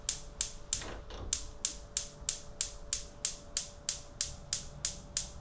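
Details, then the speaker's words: Gas hob burner lighting attempt: even igniter ticks about three a second, burner not catching; gas not arriving, owner later suspects the two-bottle changeover switcher after swapping hoses; igniter clicking, burner not lighting. "And then when it's taking a while, you're questioning yourself, did you turn the gas bottle on?"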